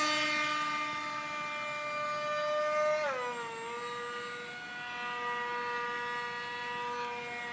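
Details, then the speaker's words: FlyCat foam jet converted to a pusher prop (GH Micro Jet V3 brushless outrunner, 6x4 prop) in flight: loud, rough motor and prop whine dropping in pitch on a pass, far noisier than normal, so the plane was landed; the cause is unknown. "Doesn't sound right. It's really noisy. I'm going to land it."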